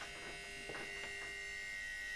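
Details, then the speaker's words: 1950s East German Elem M-5 toaster with a ceramic heating element and spirals, powered through a voltage regulator at greatly reduced voltage: thin steady hum and buzz at switch-on, no crackle or arcing. Normal heating element hum; it later heats and glows red. "Włączę w takim razie zasilanie. O, i od razu słychać spiralę tostera."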